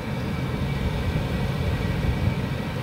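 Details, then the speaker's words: Cheap Chinese diesel heater, first test run before install, powered from 110V house power via 12V adapter, heard from about five feet: steady low roar and smooth fan hum, no surging or popping; running normally, putting out strong heat. "all right well here's this thing running diesel cheap diesel chinese heater i'm probably five foot away from this thing right now and i'm gonna tell you right now it is cranking the heat out"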